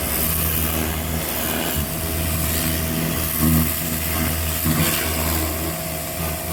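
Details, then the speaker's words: Craftsman LT1500 riding mower, first blade engagement after deck leveling and cleaning: harsh scraping rasp over engine drone, surging in bursts; owner believes purchased blades are bent and hitting something, not each other. "right so I just turned the blades on for the first time what a terrible noise that was I think I bought bent blades"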